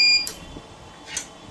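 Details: Smarten Saver 2000 inverter after repair, board refitted and connected to 24 V: one short high electronic beep, then near silence; output comes up correctly. Normal startup.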